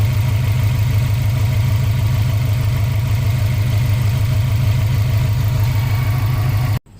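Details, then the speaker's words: 2003 Subaru WRX 2.0L turbo that would crank and start then stall; no MAF reading traced to paper or spider web in the mass airflow sensor; after clearing it the engine starts and holds an even, steady, smooth idle. "it starts now so i'm gonna let this run for a little bit and then we'll check it out"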